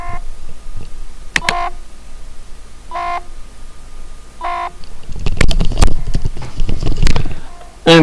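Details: Fischertechnik driving robot with the microphone held to its buzzer. Short, clean beeps at a steady pitch over a couple of seconds, then handling clatter. Normal buzzer operation.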